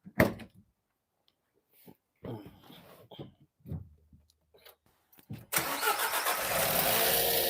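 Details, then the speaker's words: 2014 Nissan Qashqai 1.2 turbo petrol at start-up: a harsh, busy metallic rattle typical of a worn timing chain, run only briefly for fear the chain slips; the chain is to be replaced. "as you can hear can hear this like noises that's a typical of a timing chain rattle noise so I don't want to run it for too long because I don't want the timing change to slip accidentally"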